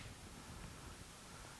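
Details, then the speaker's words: Marantz 1090 amplifier powered on through a dim bulb tester: a steady rushing hiss and hum with no music, with the right channel loud and noisy on the scope, cause unknown. Amplifier hiss on power-up. "I do have a humming on this got a lot of noise when I turn this on"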